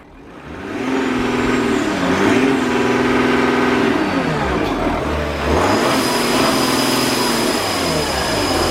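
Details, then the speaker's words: 2013 Audi Q7 4L 3.0 V6 turbo diesel after replacing a cracked intercooler that caused a boost leak: revs climb and fall cleanly, smooth pull, no boost-side hiss; leak gone. "as you can hear that leak has disappeared and the car drives fantastic now"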